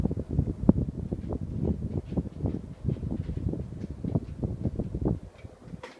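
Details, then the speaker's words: FASCO Charleston 2nd-generation ceiling fan on medium after cleaning and lubricating the shaft bushing: fast, soft air whooshing with only a tiny original bearing murmur hidden under the airflow; running normally. "original tiny bit of bearing noise but you really can't hear it over the sound of the air it's a great fan"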